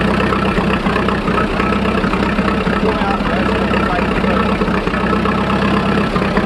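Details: 1941 Fordson Standard N tracked Roadless tractor idling on petrol after a choke start, warming up before switching to TVO: low, steady thrum holding an even beat without stumbles or knocks; normal idle.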